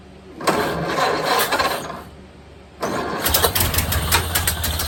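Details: 1929 Ford Model A Tudor rebuilt engine first start after 40+ years sitting, throttle lever unhooked, idle set by hand: catches and sputters unevenly about two seconds, dies, then fires again roughly; won't hold idle.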